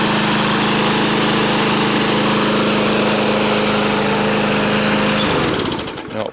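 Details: Briggs & Stratton push mower that had run rich, blowing black smoke and oil from muffler, after repair: holds steady even drone five seconds with no surging or sputter, then shuts down cleanly; normal running.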